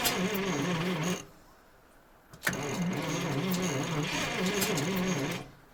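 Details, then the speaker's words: ZIL crane truck petrol engine after 20 years standing, petrol poured into carburetor as accelerator pump seemingly doesn't work; two long slow, unevenly labouring cranking bursts with odd catches. Slow cranking with occasional firing; starter turns poorly. "Он дает вспышку. Либо надо сейчас еще чуть-чуть бензинчика ему. Блин. Тут главное не переусердствовать. Но плохо крутит у нас. Плохо крутит стартер."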